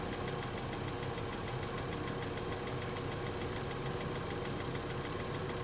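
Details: 2012 VW Passat 2.5L, 125k miles, cold start idle: light, even tapping in the engine bay, heard for the first time; owner suspects water pump or belt tensioner, not confirmed.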